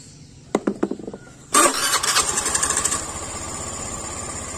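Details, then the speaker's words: Honda Beat FI scooter, screw opened to 1.5 turns (at 1 turn it would not idle): a few clicks, catches at a fast idle that eases down and evens out; starts and holds idle normally. "Coba, nah ini, nah udah turun, ya udah turun tapi masih langsam. Ya kan? Masih langsam."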